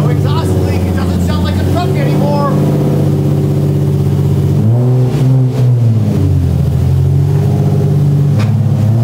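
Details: Catless Nissan 350Z (VQ35HR) after repairing exhaust leaks, refitting test pipes and a new ISR Performance Y-pipe; deep, even drone climbing cleanly with revs and settling back, no ticking or puffing from leaks.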